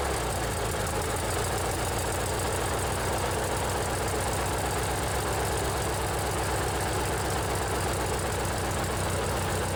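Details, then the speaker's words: Old riding mower with 16 hp Briggs & Stratton opposed twin, modified choke cable: smooth, even low thrum with steady paired firing beat, no knocks or misses; normal running. "let's see if you can hear the difference with how a twin cylinder sounds"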